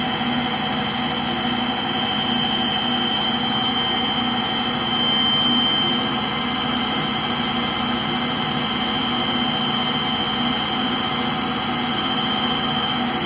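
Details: Frigidaire Gallery front-load washer GLTF1670AS1 on final spin: a steady loud roar with a thin high squeal held constantly on top, from worn motor bearings.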